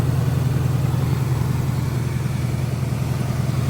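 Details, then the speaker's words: 1971 Buick Skylark Custom V8 ("Goldie") just started: deep, even burble at fast high idle, steady beat, no tapping or stumbling, running cleanly; fired right up, though charging is low and the generator light stays on, alternator suspected weak. "But she fired right up and went to a high idle. Yeah. So, that's a win."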